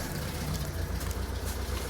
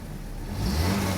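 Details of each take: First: 1986 Saab 900 8-valve K-Jet, stutter from idle onto throttle after sitting three weeks; just restarted after repair work: low, slightly lumpy idle with one sharp stumble, pointing to a cylinder missing from a clogged injector. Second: 1986 Saab 900 8-valve K-Jet after swapping in other injectors: revs pick up cleanly and evenly, no stumble or misfire, running very smoothly; one injector had been plugged, not opening until high pressure.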